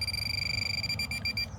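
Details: Minelab Pro-Find 40 pinpointer, after lowering sensitivity and tapping power to re-grab the ground: a steady high beep holds over the target under a rock, then cuts off cleanly; no ground chatter, normal response.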